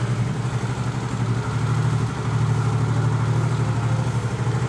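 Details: Automatic scooter that ran out of engine oil mid-journey, now idling after being kick-started until it caught: low, steady, even putter with street noise behind, running normally again.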